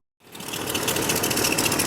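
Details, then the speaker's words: 1998 Chevrolet Cheyenne K2500 (GMT400) V8 with flickering battery light: fast rough whirring chatter over idle right after start, under the hood from the alternator; worn alternator bearing, fixed by alternator replacement. "All right, guys. If we come under the hood, there's definitely a noise coming from what sounds like the alternator."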